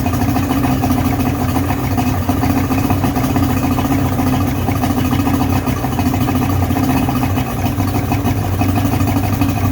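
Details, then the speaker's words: 1977 Nova boat's 55hp Johnson three-cylinder two-stroke outboard, previously submerged, after carb air-fuel adjustment and choke. Steady, even burble with no stumbles, running on all three cylinders with no carb fuel leaks; normal idle. "i would say that sounds pretty awesome pretty good i'm pretty happy with that"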